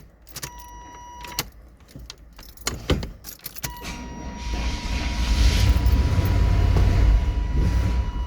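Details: 1993 GMC Yukon after sitting all winter on old stale fuel, new sending unit fitted: key clicks, then a long steady churning crank that finally catches into rough running; hard start, owner suspects stale fuel.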